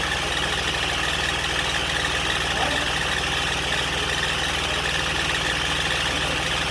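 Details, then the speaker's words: Range Rover Sport 3.0 TDV6 diesel, first start after engine rebuild, at idle: hissy scraping rub over idle, not an exhaust blow, persists with fan belt removed; owner suspects timing area; rubbing noise, unconfirmed. "So we've got a noise. It's not the exhaust blowing. Taking the fan belt off, it's still doing it."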